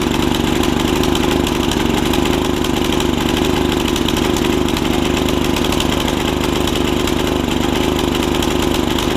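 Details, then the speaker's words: Snapper tiller with 5hp Briggs single-cylinder, after stuck-valve fix: fast, somewhat uneven lumpy loping beat about 3.5 firings a second, running rich and can't be leaned out; owner suspects a jet issue. "running rich can't get it leaned out good enough"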